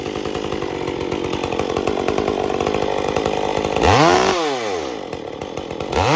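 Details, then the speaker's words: Stihl MS201T chainsaw with inconsistent tune, especially at idle and coming off full throttle; uneven wandering idle, hunting and surging off throttle; air leak in the impulse line. "If you can hear, there's not a whole lot of consistency in the tune, especially at idle and coming off of full throttle."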